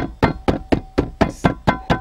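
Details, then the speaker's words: Dacia Logan plastic door-pillar trim tapped before sound insulation: nine sharp hollow plastic knocks about four per second; loose trim rattles noisily. "Nici nu trebuie să dau tare și se aude ce gălăgie face"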